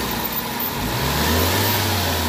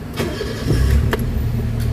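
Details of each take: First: Toyota Vitz engine that vibrates when shifted into drive or reverse: low uneven hum rising as load comes on; misfire traced to oil leaking into and filling the spark plug well. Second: Toyota Vitz petrol engine after replacing the number 3 ignition coil (Taiwan replacement) and cleaning: catches on first crank and settles into a quiet, even idle with no misfire or shake; the earlier vibration is gone.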